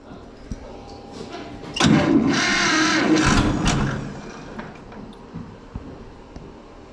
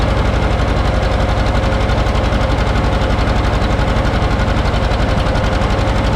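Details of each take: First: John Deere 530 two-cylinder tractor, not run for a while, cold winter weather, battery known shot, given a starting aid: two rough cranking bursts with uneven chuffs that try to catch but die away; hard starting, cold engine reluctant to fire. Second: John Deere 530 two-cylinder tractor, started after battery charging failed; slow, even two-cylinder putt at about four beats per second, steady with no misses or knocks; healthy idle.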